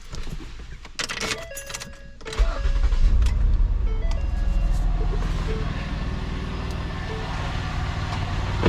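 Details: Cranking test with a battery tester on a drive-by-wire car: a brief crank, then the engine catches in 620 ms at 10.5 V and settles into an even idle; a healthy, fast start.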